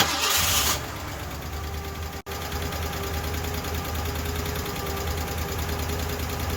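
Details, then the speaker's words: Ford LTD engine, started on its own: catches quickly and settles into an even idle with a light quick tapping, softer than the earlier clacking from bad lash and lifters; likely lifter tick. "it taps but it doesn't tap to the like as it was before where it was clacking like it was the lash was bad and the lifters were bad it was clacking now it's tapping"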